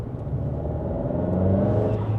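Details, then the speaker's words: Abarth (Ferrari Dealer Edition) after engine restart out of limp mode, power back: engine pulls cleanly under throttle with a rising turbo whir over the rumble; normal turbo spool. "yep then you can hear the turbo so 100% what happened there is it put us in a limp mode"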